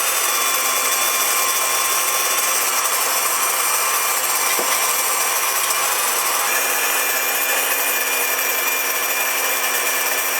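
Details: New Wondermill electric grain mill on first use milling flour; loud steady high-pitched whir with even gritty grind holding constant, running normally under load.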